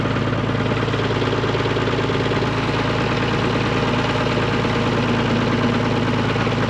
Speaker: If you hear that chattering, that's that front pump chatter. We just had all that replaced and I don't know. I feel like it's never worked 100% right since we got it. It's really got to be idled up in order to get fluid up to that front pump.